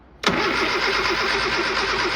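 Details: Old Austin Mini Cooper with ignition rewired: the starter spins the engine with a quick, even churn but it never fires. Cranks without starting; timing or burnt ignition points are suspected, not confirmed.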